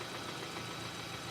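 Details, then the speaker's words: 2015 Kia Sportage EX 2.4L with poor acceleration, suspected oil control valve/CVVT fault: idling engine with a dull knock buried deep in the engine, hard to locate; cause not confirmed. "Yeah, I'm thinking we have to locate that knocking sound. Take that behind you. You hear that knocking?"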